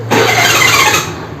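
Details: Hero Honda scooter self-starter: short harsh whirring burst lasting about a second as the starter spins, then fades; noisy self-starter on cranking, cause not stated.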